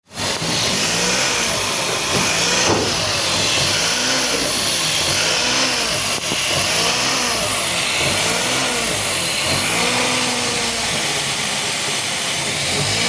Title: how to fix Misfiring and fuel injectors Air leaking #misfire